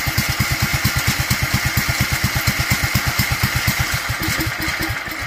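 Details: Duromax 18hp single-cylinder engine with a constant idle problem, running on its air filter; it won't start with the filter removed. Fast, fairly even thumping loosens and stumbles near the end: unstable idle, near stalling.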